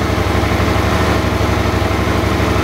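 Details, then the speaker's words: Suzuki DL650 V-twin with a replacement fuel pump fitted (the old pump's rubber seal had failed, so pressure was dropping): a steady, even idle, slightly raised, with no sneezes or stumbles. The problem is solved. "и ни единого чиха дело закрыто"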